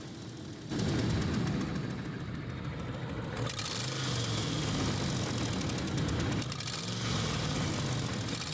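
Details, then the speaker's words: Dodge RAM 5.7 HEMI, engine bay with the wheel-well guard removed: rough, raspy puffing that grows louder as the gas is pushed, with sparks flying. Exhaust manifold studs are broken and the gasket is burnt through, causing an exhaust manifold leak; transmission cooling lines also leaking. "As we take a closer look, we can see that the exhaust manifold seal has been burnt. And as we push the gas, you can see sparks flying and hear the noise it's making."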